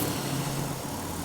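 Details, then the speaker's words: Jeep engine at idle after fixing a vacuum leak that had left the idle high: a smooth, even idle with a steady low hum and no stumble or surging; normal idle. "hey there we go much better forgot about that that sounds pretty darn good I would drive this to Alabama right now"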